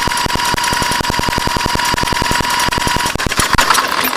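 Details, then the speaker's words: 1984 Honda 200S cranking: steady starter clatter, no firing even on ether; weak, inconsistent spark after new carb, CDI, harness, coil and pulse generator, timing correct; flywheel and stator next. "I don't know if that's enough spark. But she's not even firing off on ether."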